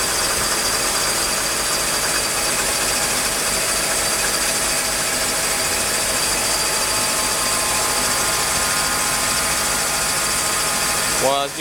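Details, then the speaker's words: Mercedes M104 engine with damaged ETA throttle body wiring, cold after sitting a day: steady even idle with a smooth hiss, louder with the air pump on, no misses or knocks; normal cold start idle. "as you can see, the car started right up. Runs pretty smooth. Air pump is on right now, so it's a little louder."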